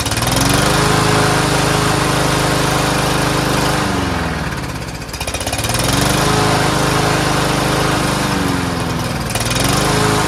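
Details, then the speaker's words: Troy-Bilt TB110 push mower, Briggs engine at full throttle: engine hunts, dipping and recovering every few seconds, briefly stopped then returned; owner suspects old yellowed gas or debris; intermittent surging. "so if there's any debris it might clear itself out which you saw it kind of doing it wasn't surging for a bit looks like this thing is popping back out again"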